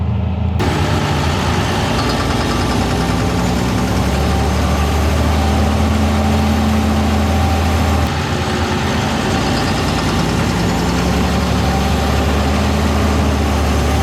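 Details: Fendt 936 tractor, Deutz diesel, warm, under load at about 1500 rpm: a deep drone with an uneven, lumpy pulse as if one cylinder drops out, and vibration felt in the cab. An uneven injector or fuel system fault is suspected.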